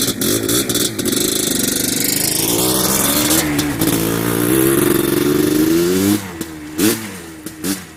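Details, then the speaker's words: Yamaha Blaster 200cc two-stroke ATV with FMF pipe, warmed up, after a needle change and clip adjustment: revs climb hard, then go flat and hesitant near wide-open throttle. Top-end bog, suspected still slightly rich; plans to drop the needle clip. "It still kind of has a bog at the way top end at wide open-ish. So I'm either too rich or too lean, and it might be a little too rich yet."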